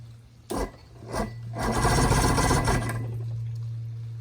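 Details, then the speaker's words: Outboard from a sunk boat, plugs back in, WD-40 put in the carbs: the starter churns in rasping bursts at about four turns a second but it never fires. Liquid from the gas tank proves mostly water; the fuel is bad. "Getting a little something going. Yeah, gotta be some bad fuel for sure."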